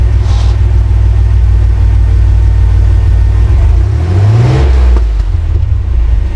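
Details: 1994 Chevrolet S10 Blazer 4.3L V6 with a newly installed 2.5 Cherry Bomb Salute muffler: a deep, steady exhaust rumble, then a quick rev that rises and falls cleanly with no rattles or leak puffing.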